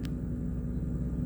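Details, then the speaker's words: Class B camper van air ride suspension, refilling from zero to 55 after troubleshooting: steady low hum of constant pitch as the air compressor runs and fills normally; normal compressor operation. "I'm gonna go over here to the switch you can hear the pump compressor running"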